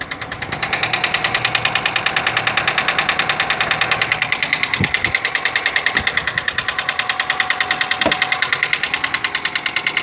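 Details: Daewoo Lanos with AE engine at idle: fast, even light ticking in time with the valvetrain over a steady idle; hydraulic lifter tick.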